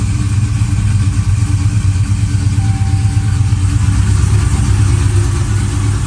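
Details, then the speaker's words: Hellephant 300 supercharged V8, restarted after sitting on a weak battery, with supercharger and accessory belts removed: steady idle with a fast light tick on the passenger side that persists without the belts; broken or snapped exhaust manifold bolts are suspected, not confirmed. "the exhaust manifold bolts probably broke or snapped off and that's what's making that that ticking noise"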